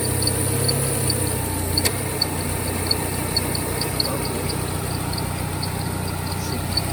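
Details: 2003 Peugeot 206 whose AC would not switch on due to no power supply to the magnetic clutch, after reinstalling the BSI box: engine idles steadily with compressor engaged, faint even ticking only; AC back to normal.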